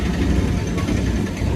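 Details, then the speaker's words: KTM Duke 390 after welding the exhaust leak: steady low single-cylinder burble with an even beat and no puffing or ticking; healthy, sealed idle. "अब हवा leak नहीं करेगी तो proper शायद sound आएगा।"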